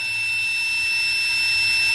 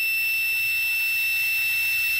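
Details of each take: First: that's gonna be hooked to the multimeter with the continuity buzzer on you here when I turn this on it buzzes Second: Normally closed adjustable pressure switch for a boost cut, tested with homemade boost leak tester and multimeter continuity buzzer: beep holds about four seconds before cutting out as pressure builds, recloses very slowly around 10 psi; switch too slow to respond.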